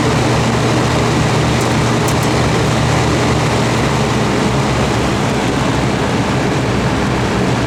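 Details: Vintage all-metal Kmart box fan, a dirty, rough flea-market find, running on high: steady rushing airflow with a constant low motor hum and no rubbing or ticking; runs smoothly.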